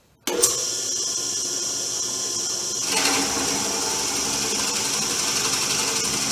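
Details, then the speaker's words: Porter Cable PCB660DP 15-inch floor drill press at 700 rpm, 1/2-inch bit fully extended through hardwood end grain after squaring the table and removing bit runout: steady motor hum and cutting hiss with no squeal; normal drilling. "So you can hear there's no squealing, even though I have it fully extended into the hole. And that is really a result of having the table square and removing a lot of the run out in the drill bit."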